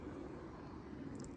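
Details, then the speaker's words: Brand-new large-scale garden railway wagon on roller bearings rolling on track: soft, even rolling hiss with no clicks, rumble or binding, much quieter than the bush-bearing wagon; normal quiet rolling. "two things happen do you hear how much quieter it runs on the rail yeah that that yeah this don't know if you can hear it on the phone but it's much quieter"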